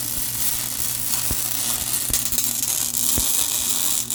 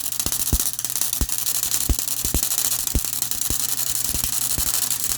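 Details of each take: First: MIG welding on the Honda Odyssey FL350 electric (500e motor) build after dropping wire speed to 5.5 from too-fast wire: even, crisp frying crackle with occasional sharp pops, steady arc; sounds way better, normal weld. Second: MIG welding motor mount for Honda Odyssey FL350 electric conversion, gas set around 50: irregular crackling with sharp pops every half second instead of smooth sizzle, then arc stops; wire feed too fast, later turned down to 5.5.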